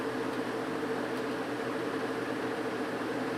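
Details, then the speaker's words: Vintage GE window ventilator fan after cleaning and oiling, running on high blowing out: a smooth, even whoosh with a faint steady hum, much quieter than before, with slight vibration at certain angles. Normal running. "all right here is high going out much quieter foreign a little bit of a vibration when it's sitting at certain angles but it is super quiet now"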